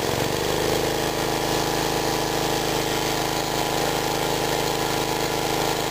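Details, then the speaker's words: Mid-1950s Clinton 3 hp engine belt-driving a 110 V 60 Hz AC generator, cold start: catches on one pull, then holds a steady even putter under generator load; normal running. "notice how difficult that was only one pole and it's running nice reliable Little Engine"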